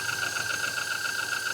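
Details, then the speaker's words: Chevy Avalanche at idle: a light, fast metallic tapping as the cam sensor touches the cam gear on every pass. Vehicle came in with an intermittent no-start. "So, that's the standard. That's the noise that we heard as soon as we put that OE one in yesterday. We're like, that's not going to work."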